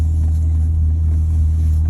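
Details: 2012 Volvo S80 T6 just after the ECM was reprogrammed with VIDA (PIE configuration software download): steady, even low hum at idle with no knocks, misses or ticks; engine settled and running smoothly.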